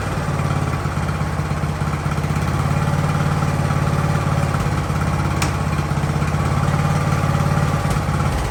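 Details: Free Ariens riding mower with hydro drive, sat at least 2 years, idling in about 30-degree cold; even low chugging idle at roughly three and a half beats a second, steady with no stumbles, engine healthy.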